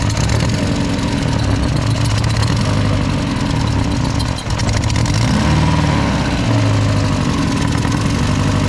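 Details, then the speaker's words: Drift car, plugs reinstalled in a different order: lumpy, uneven idle with a stumbling exhaust beat and dips; misfire persists, owner fears a damaged valve and sees possible exhaust leaking near the manifold. "yeah it's still got the misfire like it's been struggling but it sounds hopefully I didn't kill a valve"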